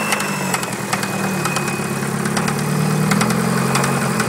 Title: Dodge Neon Rod Knock